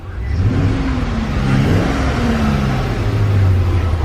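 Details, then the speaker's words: 2007 Chevy Express 3500 V8 that had a sticky lifter tick, running after a Motor Medic engine flush: revs up and eases back smoothly with throttle and no valvetrain tick comes through; normal revving. "Nothing, no tick, nothing."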